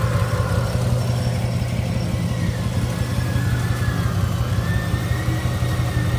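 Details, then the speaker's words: 1967 Chevrolet Impala, warm, at idle: lumpy, uneven, shaking idle with a stumbling pat-pat beat in the exhaust pulses; pulling plug 5 seemed to change nothing, cylinder misfiring from an oil-fouled spark plug. "yani pata pata pata pata pata vuruyor yani rölantideki Sesi bile çok rahatsız edici"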